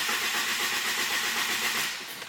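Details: 1000hp GSX that won't start, after swapping to stock ignition, no wideband fitted, timing reading locked at 5°: starter cranks at a steady fast rhythm with hiss, never catches; cause unconfirmed. Crank no-start.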